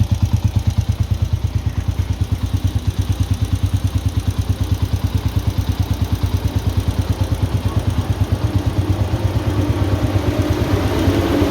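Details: Honda TMX 125 single-cylinder motorcycle idling evenly with a steady thump, then revving slightly, running again after a service for a valve (tukod valve) leak; normal idle.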